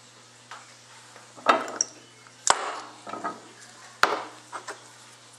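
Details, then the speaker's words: AW55-51SN (RE5F22A) transmission solenoid shaken by hand after repair and reassembly: short, loose metallic clatters of a freely moving armature, showing the solenoid is fixed. "Okay, now that we have our solenoids assembled, I mean, they're nice and free and uh they shake pretty good. I mean, they rattle. Uh once you hear that rattle, I mean, you know that these solenoids are fixed."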